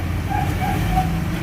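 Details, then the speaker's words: Ford Everest Titanium diesel, fairly new but running hot, after a ceramic-metal-carbon engine treatment for throttle delay, vibration and low power: low, even idle rumble with steady rhythm, no knocking or hunting; engine now runs smoothly. "So maganda na yung andar ng engine niya. So maganda na yung andar ng engine niya."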